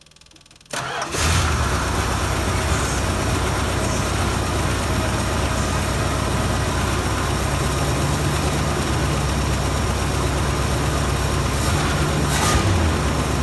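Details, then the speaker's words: 1970 Chrysler Imperial, 440 big-block V8, parked since 1993, first start on electric fuel pump with corrected plug wires, oil pressure 50 psi: catches, settles into steady, slightly lumpy idle with faint hiss; owner suspects a vacuum leak. "So far, I'm really happy with the way it sounds. We probably got a vacuum leak, it sounds like to me."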